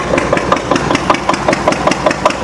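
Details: Antique Witte 12 hp single-cylinder diesel genset, 8 kW generator, just cold-started, lighting a bulb: crisp even thumps about five a second, running fast but healthy before slowing; normal.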